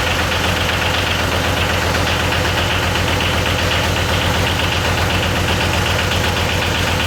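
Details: Yanmar YM276 diesel tractor just after clutch replacement, first start-up: even clatter at steady idle, about two and a half beats a second, no knocks or skips; running normally.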